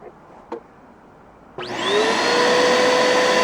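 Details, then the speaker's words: Bissell Powerforce vacuum after clogged filters cleared, exhaust filter left off: motor spins up to a steady, even high whine with a strong airy rush, no surging; much better suction, normal running. "can just see it puffing out. That's a lot better suction."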